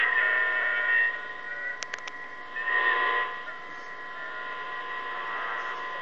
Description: Every so often, I keep hearing these noises from my baby monitor. However I'm not sure what it is. Can anyone tell me?